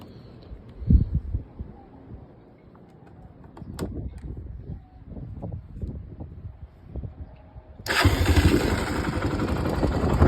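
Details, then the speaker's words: 2002 Honda TRX300EX single-cylinder quad after carburetor rebuild, new plugs and oil change; after some bumps and clatter it fires at once and settles into a full, steady run without hesitation; starts as it used to. "Fires right back up the way it used to. Purrs like a kitten."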